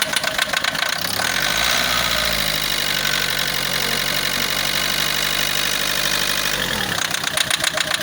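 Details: Diesel car engine idling with a harsh, fast clatter of about four knocks a second, sharper than a normal injector tick. The knock at idle is suspected as a symptom of a failing diesel sensor; the cause is unconfirmed.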